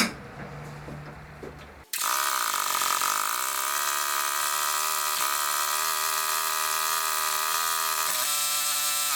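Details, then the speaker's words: Replacement engine just swapped into a Craftsman LT1000 lawn tractor, first start after the swap: the fuel solenoid clicks, quiet cranking, then it fires right up and settles into a steady, even, smooth drone; idle was set too low; normal running. "happens nice doesn't run too bad fired right up"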